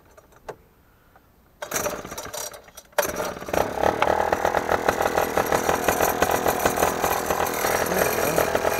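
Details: Basstender 10.2 with small outboard, homemade steering and throttle, carb cleaned two weeks earlier: quiet at first, then it starts and settles into a steady fast buzzing run with no misses; normal running, though the kill switch acts up and its ground needs checking.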